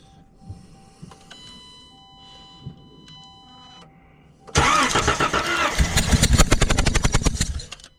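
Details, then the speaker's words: 2013 Chrysler Town & Country crank-no-start, cranked with a spark tester grounded on the engine block: about three seconds of uneven, lumpy churning at roughly four beats a second, no start; spark present but it hesitates. "There we go. So, I have spark, but it definitely hesitates."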